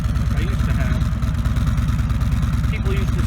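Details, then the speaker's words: 2017 Harley-Davidson Ultra Limited (FLHTK), Milwaukee Eight 107ci V-twin, stock exhaust heard from the rear; deep, even loping idle with soft exhaust note, much quieter than a Rinehart exhaust; healthy stock exhaust at idle. "it was just the sound of the lifters and stuff that's much quieter now now the back you'll notice that the sound is much less than a Reinhardt"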